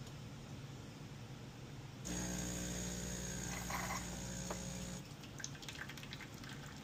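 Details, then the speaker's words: DeLonghi espresso machine (European 220 V unit on a transformer to 120 V), customer complained of loud pump and low coffee level; pulling an espresso shot, vibratory pump buzzes evenly about three seconds and stops cleanly, no rattle or strain. Pump works normally. "Okay, the pump works great. It's just normal."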